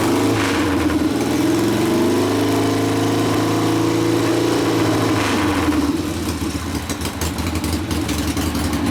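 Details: Rebuilt 1972 Harley Sportster XLCH Ironhead after case repair, restarted with air cleaner refitted, good oil pressure: revs dip and settle into even loping V-twin idle sitting slightly high, running cleanly; idle to be lowered after break-in; normal idle.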